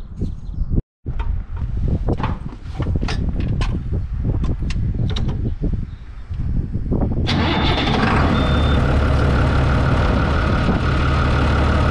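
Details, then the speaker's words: New Holland TB120 diesel tractor being driven after refitting the rebuilt, retimed injection pump: even, steady low chug with no miss or knock, pulling smoothly; healthy running. "well there you have it sounds good we go hook it up to 10-foot bouche all gear and go work it a little bit and see how it does"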